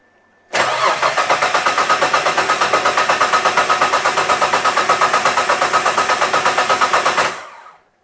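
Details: 1967 Ford Anglia 105E with Mitsubishi 6A13TT engine, after new coil pack and wiring repair, fuel pressure primed: starter cranks evenly about seven beats a second for seven seconds, never catches; open crank angle sensor wire, no crank signal.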